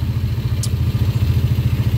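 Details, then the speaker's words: Yamaha Jupiter Z after replacing the crankshaft, connecting rod and bearings; even, steady low thumping at idle with no knock or rattle, now very smooth compared with the rough engine before. "Oke sekarang kita KC dulu ah suara motornya sangat halus apa sangat halus kembali beda dengan sebelumnya ya"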